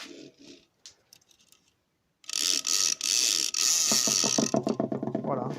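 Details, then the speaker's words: Bosch washing machine motor: a loud, harsh hiss and buzz, then rough rattling as it slows, because a new carbon brush was seated upside down. Once the brush is turned the right way round, the motor becomes nearly silent. "vous avez entendu le bruit. Il était comme ça. Et là, je vais le retourner dans l'autre sens."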